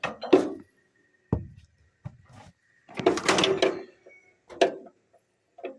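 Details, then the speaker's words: 1938 Allis-Chalmers B with Waukesha engine, turned slowly by hand, good compression: sharp separate snaps every second or so as the magneto impulse coupling trips correctly. "And the impulse on the mag is working. You can hear it."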